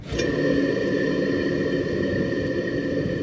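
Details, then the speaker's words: HVAC blower motor on an AC unit not keeping temperature, belt a little tight: steady hum with thin constant whine and rough undertone; aged motor bearings going out, likely from an overtight belt. "motor is going out i know how this will go so they'll wait until it's completely gone unfortunately you get it too tight that's what takes out these bearings and everything else that just aged what we got going on here"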